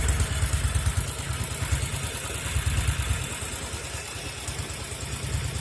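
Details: 1974 Norton Commando 850 idling on un-muted silencers with tighter header clamp seal: uneven loping idle with occasional skipped or soft beats, intermittent misfire from the left cylinder, which also smokes.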